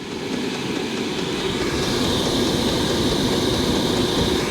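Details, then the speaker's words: Diesel heater in a van turned up to full high setting; fan rushes and kicks up higher with a quick light fuel pump ticking underneath, running normally. "you should hear the fan kick on or the fan kick on higher and you hear that fuel pump ticking"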